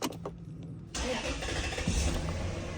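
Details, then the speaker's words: 1995 Toyota Celsior (Lexus LS400) after new fuel pump install fixing a no-start: starter whirs briefly, engine catches cleanly and settles into a smooth steady idle; healthy start. "Boom. Started right up. Oh, yeah."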